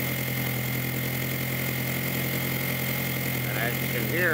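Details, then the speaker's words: 2002 VW Jetta 1.8T turbo with straight pipe exhaust, after diverter valve replacement for rough running, loss of power, stalling and EPC light; quiet steady idle, sounds much better apart from exhaust backfiring; normal idle. "sounds a lot better, except for the backfiring from my straight pipe exhaust. Sounds like it should run."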